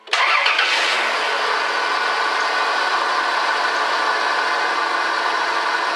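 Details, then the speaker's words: Dodge Caravan 3.0 first start after hydraulic lifter replacement: catches within a second and settles into a smooth, even idle with no lifter ticking, where 5 or 6 lifters used to tick; slight belt squeak; healthy start. "Wow, what a difference. Typically when I would first start it up, you'd hear about 5 or 6 lifters ticking away. Wow, that made a difference."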